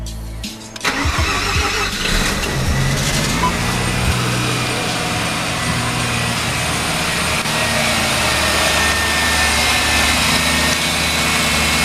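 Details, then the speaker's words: Mazda RX-7 FD Type RS rotary, cold start after removing the AC drive belt and a pulley with a noisy bearing suspected of causing false knock; catches in about a second, smooth even idle, scratching noise gone. "Okay, that scratching noise has definitely gone away."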